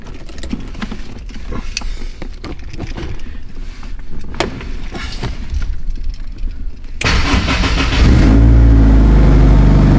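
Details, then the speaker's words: Honda S2000 with stock exhaust and aftermarket cutout valve, cold start: valve gets power and clicks but won't shut, so clicks then a loud raw open-pipe roar at high cold idle; exhaust cutout valve stuck open. "basically just straight pipe. We don't want that. I want it to be quiet. At least when the valve is closed."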